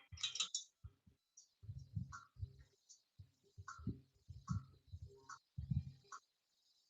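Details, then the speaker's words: 2021 Kayo 230 dirt bike rear wheel spun freely after tightening loose spokes: light dull clunks and clicks about twice a second, roughly once per turn; owner suspects the bearing spacer inside the hub dropping each rotation, possibly a bad bearing; unconfirmed. "That's probably the bearing spacer, wheel spacer, hub spacer, bearing spacer inside the hub. That's probably falling every time it rotates over. It almost sounded like there was a bad bearing on the inside."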